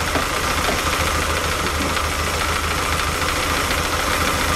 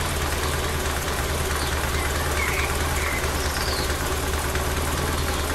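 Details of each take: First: Lotus Elan twin carbs, 500 miles after setup, tick-over becoming less smooth, checked with airflow meter: uneven, lumpy idle with a slightly irregular beat under a hissy intake rush; carbs not balanced. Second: Lotus Elan started cold after 500 miles, during carb airflow and Colortune mixture tuning: steady, even low idle with no stumbling or misfire, settling around 700 rpm, better than the day before; warm-up and timing chain adjustment to follow.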